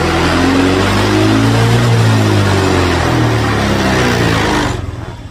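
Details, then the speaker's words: Honda Vario 150/125 scooter, warm engine, new battery fitted after idle stop failed from a weak battery: steady even idle about four pulses a second, then engine cuts cleanly on its own; idle stop working normally. "nah dia mati sendiri ya udah bisa ngetik sendiri"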